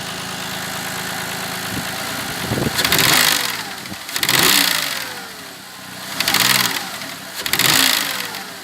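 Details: Audi A6 C6 intake manifold knock at idle: the engine is blipped about every four seconds over a rough idle, a knocking clatter riding each rev, from the swirl flaps and their gear mechanism inside the manifold.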